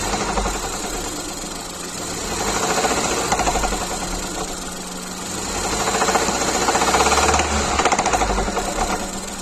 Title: Fiesta ST Mk7.5 Rattle sound from Engine, help?